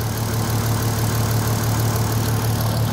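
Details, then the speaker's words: VW Golf R32 cold after sitting, following a weird noise on revving that owner thinks is something loose or broken at the front: smooth, even low hum at tickover, no rattle or tapping; healthy cold idle. "that's not going to be the noise that's just that's just loose or broke at the front I'll tell you what that sounds mint"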